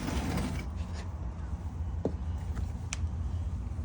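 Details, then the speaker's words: GE refrigerator not cooling, with a clicking compressor: low steady buzz and sharp clicks as the compressor tries and fails to start, and the start-device tester beeps. Compressor fault; it is not grounded. "all right guys so I'm sure you've heard the beeping and the buzzing so what we doing now we're actually checking the start device and you can hear that it's beeping so that tells you that the compressor has an issue"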